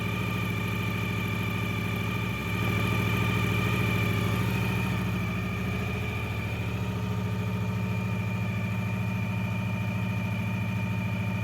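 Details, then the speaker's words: Neglected Honda VFR 750 V4 at idle, runs poorly, owner plans valve adjustment and carburetor cleaning: steady idle with a light, regular metallic rattle; owner suspects the exhaust manifold copper gasket, unconfirmed until replaced. "You can hear something is rattling and I think I know why. Most likely it's the copper gasket at the exhaust manifold, but I will know for sure once I replace it."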